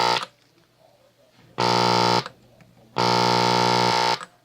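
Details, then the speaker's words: 1946 Sears Silvertone model 132.818 four-tube series-string TRF AM radio: loud steady low buzz in two bursts of about a second; hum because the filter capacitors were grounded to the wrong point, one terminal off, so no smoothing. "This sure is acting like it has no filters at all. I don't know. Okay, so we made some changes here. I did not have the capacitors, the filters were not grounded to the right point."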